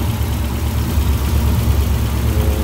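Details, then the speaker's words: 1982 Toyota Corolla TE72 with a worn old Weber carburetor missing bolts: a low, steady, slightly lumpy idle. It runs rich and is hard to adjust, and the carburetor is due to be replaced with a new Weber. "it's running kind of kind of rich kind of weird and it's really hard to adjust just all jacked up"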